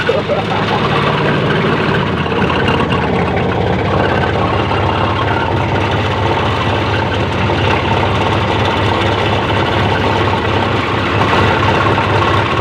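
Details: 430 diesel engine, 24 V, after repair of a no-charge fault: the alternator was fine, and a rusty fuse box had left no supply to the voltage regulator. Steady, even idle, smooth low rumble, no knocks or misses; charging restored.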